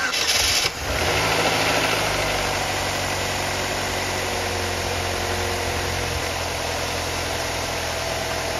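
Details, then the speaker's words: 2002 Pontiac Grand Am, 2.2 Ecotec, 106,000 miles, started after new spark plugs and reconnecting the coil pack. It catches quickly and settles into a smooth, even idle with a steady hum; a previous ugly valvetrain tick is gone. Normal idle. "The ticking went away. There used to be a tick in here that sounded pretty ugly. Sounds pretty good, don't it, for a 2.2?"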